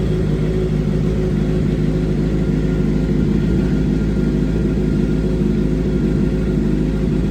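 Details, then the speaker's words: 2007 (K7) Suzuki GSXR 750 rebuild, first start after sorting an earlier loud engine rattle: steady even low idle with no rattle or ticking over seven seconds; the cam chain tensioner now appears to be working. "Not hearing like a loud rattle like last time. So I think let's let it run a little bit and see if it starts making a sound."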